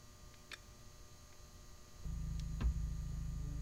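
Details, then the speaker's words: 1.4L MultiAir Turbo 124 Spider with a history of cylinder 4 idle misfire, restarted after stalling: quiet at first, then settles into a low, steady, even hum with no stumble; a smooth idle for now. "fine right on this fire feels smooth this is okay right now yeah right now this is fine to me compared to what I usually feel"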